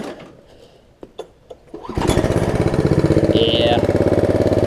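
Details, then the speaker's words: Snapper rear-engine rider mower after bad-gas (water-contaminated fuel) repair with new carburetor and fuel line: easy pull start, catches at once and settles into steady, even idle with no stumbling; runs healthy. "love that pull start it's so easy excellent so that's done"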